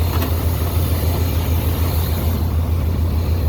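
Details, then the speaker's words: V8 pickup truck that had water in its fuel: low, lumpy idle with a regular stumble about three times per second, showing a misfire so it isn't running on all eight cylinders. "dare i say that almost sounds like all eight don't tell me it fixed itself no up here it don't sound like all 8"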